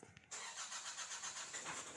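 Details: Nissan Navara with low power and hard starting: brief cranking then the engine catches and runs rough and uneven; cause found to be a loose crankshaft position sensor connector, hard starting.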